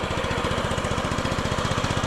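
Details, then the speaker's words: 2007 Honda Metropolitan/Ruckus 50cc scooter after carburetor cleaning, brake-handle switch adjusted; smooth, even single-cylinder putter with no stumble or bog, runs well. "Run's pretty good A little small for me I think but maybe if I got used to it everything seems to work all"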